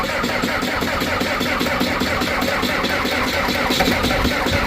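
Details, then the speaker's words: Skid loader diesel at 22°F with suspected water in the fuel line, after the fuel filter was hand-primed. Labored, uneven, slowing cranking that never catches, as the battery runs down and a charger is needed. "on, baby. We're running out of battery. Stop. We're gonna have to get a battery charger."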